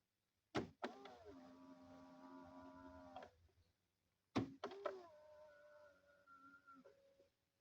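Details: Citroën C4 (B7 body, 2012) after lubricating the folding mechanism to cure a squeak: two even mirror folding runs, each a smooth motor hum between clicks, no squeak; normal operation.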